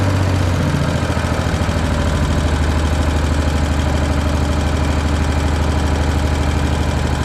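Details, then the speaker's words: Briggs & Stratton single-cylinder on an Agri Fab Mow & Vac leaf vacuum, said to need a new engine, after valve adjustment raised compression to about 25 psi: runs smooth and steady, no knocks; strong compression release. "oh well that runs really nice I'm kind of shocked I never have seen one where that compression release releases that much compression that it would act like it has almost zero compression"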